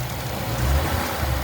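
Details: Ford Mustang GT V8 after bearing replacement for a knock: engine held around 2000 rpm with an even low drone and no tapping or knocking; bottom end sounds healthy, while coolant leaks from a cracked radiator top.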